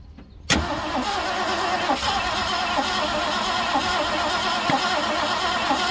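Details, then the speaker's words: 1967 Ford Galaxie sitting 35 years, cranking with new fuel filter and gravity-fed fuel bottle filling the bowl: starter churns steadily for several seconds, never fires; cranks, no start, spark plugs to be checked. "nothing bro should we go pull out the plug see if there's um burnt plugs or Sparks on it"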